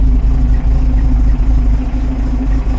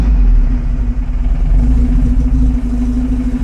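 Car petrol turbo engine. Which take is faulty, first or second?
first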